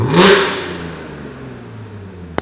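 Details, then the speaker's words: Audi S4 with centre resonator delete and X-pipe: quick light rev gives deep tone low down turning into a harsh raspy crackle higher up, dying away as revs drop; exhaust rasp from resonator removal, before custom back boxes. "really deep when you're in the lower RPM range but then as you get further up it starts rasping its nutes off like"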